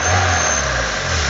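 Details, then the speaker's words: 2000 Renault Laguna 1.6 petrol, hard to start with intake pops: idles high and unevenly, speed drifting with no accelerator pedal input; throttle held open by a misadjusted stop screw. "On va essayer de mettre le véhicule en route et on a beaucoup de mal à le garder, le régime est très instable. Alors qu'il n'y a pas d'action au niveau de la pédale d'accélérateur."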